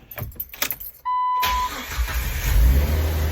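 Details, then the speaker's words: Jeep Wrangler after replacing a howling Fuelmiser aftermarket fuel pump; engine start after battery reconnected, loud exhaust rumble, previous fuel pump whine/howl now gone, normal start. "And yeah, no more howling. Not sure if you can hear on the video, but yeah. Still just a loud exhaust, but no, it was like a wee before, and now it's gone."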